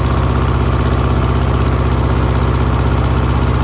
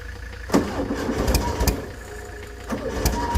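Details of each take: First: 1970s Layton roller compactor, Ford Taunus V4, after sanding the rusty ignition points: steady low thrum at a fast even idle, about four beats a second, no knocks or misses; running normally, fixed. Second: 1970s Layton roller compactor, Ford Taunus 60-degree V4, fuel pump switched on, good battery: starter churns in uneven bursts and the engine never catches; no start from rusty, corroded ignition points giving no spark.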